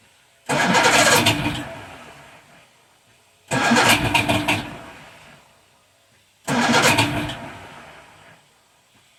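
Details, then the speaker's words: 1978 Evinrude 150 outboard on a 23 ft cabin boat, cold start with choke and no throttle: three long cranking bursts, starter spinning hard but the engine never catches, a hard cold no-start. "give it a little bit of choke you can hear the choke working and let's see what it'll do no try to do something"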